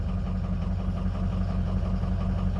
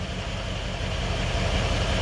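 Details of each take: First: Ford 6.0 Powerstroke diesel after a remanufactured FICM replaced one with shorted coil drivers: steady idle with a faint uneven lope; contribution test shows cylinder 7 dropping and a weird turbo sound; down one cylinder from a faulty injector. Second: Ford 6.0 Powerstroke diesel with air still in the high-pressure oil system: steady, even idle with a smooth low rumble and no misses or knocks; engine running well, normal idle.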